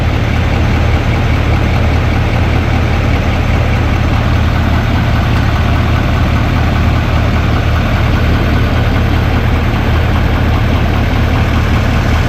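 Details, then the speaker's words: 2024 Chevrolet High Country Duramax diesel after rebuild and radiator support replacement, fluids filled, engine possibly not fully up to temperature: deep steady idle with even beat, no knocks or rattles; normal idle. "Okay, so I pretty much got all the fluids, everything's sounding pretty good."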